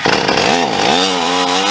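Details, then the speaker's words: Stihl MS460 Magnum chainsaw with poorly ported cylinder and expansion pipe on a dyno, long slow loaded run; revs sag, surge and wander instead of holding a clean scream, starving for fuel, nearly out of gas. "i hate to say this you're out of gas yeah that's what it sounds like"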